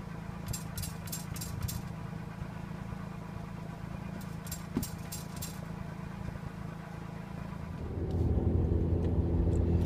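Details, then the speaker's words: Engine idling while exhaust is struck with gloved hand: engine rumble with bursts of tinny metallic rattles from broken-up catalyst pieces inside, indicating failed catalytic converter. "The metallic rattling which you can hear is actually bits of catalyst in the exhaust rattling. So that's what you're listening for."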